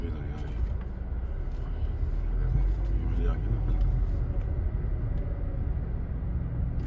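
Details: 2018 Honda Civic after rusty brake discs were removed, resurfaced and refitted: road test gives only low road rumble while slowing, with no squeal or scraping; brakes quiet and working normally.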